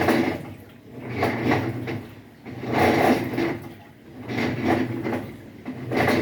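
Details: Haceb front-load washer at minimum water level fills, then starts washing with a rough, gravelly grinding like stones, swelling and fading with each drum turn about every 1.5 s; something seems to drag in the drum drive.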